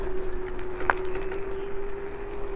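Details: Windgoo M20 e-scooter with 10-inch air tyres and suspension, riding at about 20–21 km/h: a thin steady whine at one fixed pitch runs under wind and road noise, source unknown.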